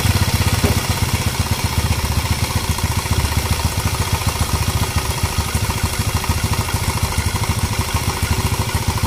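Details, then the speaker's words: Scooter single-cylinder engine run off the body before refitting: quick, even putter holding steady revs, no knocks or misses; starts and idles cleanly. "mantap Oke settle motor pun UD hidup nanti kita akan nanti kita akan pasang ke body dia"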